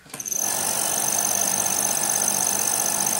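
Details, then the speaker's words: Old Eumig dual-gauge 8mm projector after transport-mechanism service with all three bearings secured: thin, high continuous squeak over the motor's steady spin from switch-on; motor squeaking when it shouldn't, bearing seemingly dry or binding. "the motor goes as you can hear there it is going around squeaking a bit shouldn't be"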